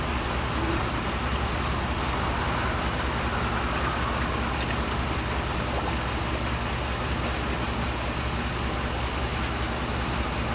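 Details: 2007 Dodge Ram 5.7 HEMI V8 after water pump replacement, warming up while bleeding air, coolant about 140°F at thermostat, no leaks; steady even idle with smooth low rumble, no misses or odd noises; runs healthy.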